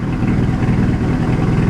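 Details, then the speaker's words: Car bought from Copart, rough idle with a lumpy, stumbling beat, running on three cylinders; owner suspects a failing coil pack, with black and blue smoke on revving; misfire unconfirmed. "so she's running on three cylinders so one of the um coil packs possibly could go"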